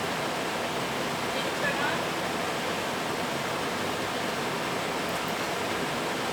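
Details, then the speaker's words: Gas furnace after flame sensor cleaning, no door switch: steady even whooshing roar with no clicks, rattles or booming after a delay; lit and running normally. "Did you turn it up? I did. Okay, it's probably got a little delay in the fan action and whatnot, so it'll come on."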